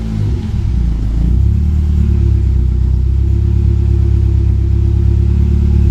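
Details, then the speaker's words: 1995 BMW E36 318i at idle with rusted rear exhaust section and tailpipe end missing: loud, deep, raw unmuffled boom; exhaust blowing, fixed by fitting a replacement rear section. "Okay, as you can see, I've got quite a bit of the rear section of exhaust missing. The end of the tailpipe. I'll fire it up and you'll see what it sounds like."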